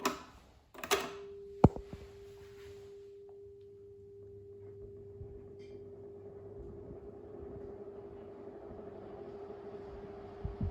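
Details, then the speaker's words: 1980s Stirflow 16" oscillating desk fan on low speed (38.4 W): steady mid-pitched hum under soft airflow whoosh. Owner believes the brittle motor housing is making the noise. "I believe that noise is the motor housing because the motor housing is brittle."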